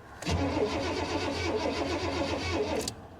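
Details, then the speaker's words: 1985 Honda Prelude at salvage auction, long-sitting, on booster pack: steady starter churn with rhythmic compression pulses about two and a half seconds, never catches; crank no start, owner suspects no gas. "all right guys give me a minute I'll see if I can play with her and convince her to to start up for us"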